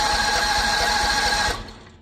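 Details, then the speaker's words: Predator 670 engine just after a carburetor clean and reinstall, throttle wide open: rapid starter chug about eight pulses a second with no firing while the vacuum pump refills the empty fuel bowl from the tank; cranking without starting. "We need to get the fuel bowl filled up with fuel and from the fuel tank, and then it should run."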